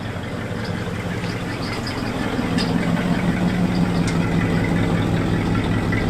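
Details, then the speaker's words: 1966 Cadillac DeVille V8, revived after about 30 years of storage: deep, steady rumble at idle with raw open bark, no muffling; loud exhaust after the muffler dragged and fell off. "we were talking off camera like is it louder I think it's louder we couldn't decide and then we hear something dragging and we pull over and there goes the muffler"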